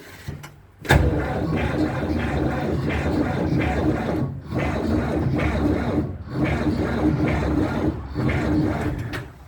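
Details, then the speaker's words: Ursus C-360 tractor sitting a month in frost (about −1°C stated; the title says −11°C) with thick oil and a battery left in: a sluggish, labouring starter drone that never catches. The battery was to be charged next; cause suspected. "Ciśnienie oleju nie schodzi, taki gęsty olej. Jeszcze raz go pomęczymy i będziemy ładować akumulator, jak nie zapali."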